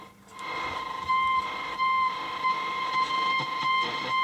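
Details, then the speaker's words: Roberts R500 radio on medium wave after unboxing, on bench supply: steady high whistle over radio hiss, traced to interference from a nearby video-camera charger, not a radio fault. "see this thing works do something whistling medium-wave"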